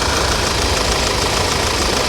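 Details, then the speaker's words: Audi idling: fast, even light sewing-machine-like clatter that sounds like a diesel; normal direct-injection ticking, supposed to sound like this. "sounds like a a diesel sewing machine is what it sounds like that's just direct injection it's supposed to sound like this"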